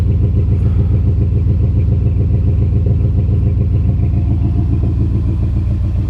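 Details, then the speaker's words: 1980 Pontiac Turbo Trans Am, turbo 4.9 L, about 82,000 miles, cold engine just off high idle: a steady low exhaust pulse with no ticking or knocking, and the lifter noise from startup is gone; the exhaust sounds decent, a normal cold idle. "engine is cold so it's it just came off a high idle exhaust sounds decent"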